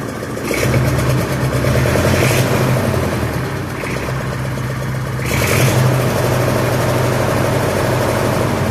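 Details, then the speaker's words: Massey Ferguson 65 diesel tractor running in shop after battery replacement, throttle slightly above idle, charging during alternator test: steady even fast idle, deep regular chug with a couple of mild surges, no knocks; normal fast idle. "So, while we wait, we have that door open. It's running in there charging."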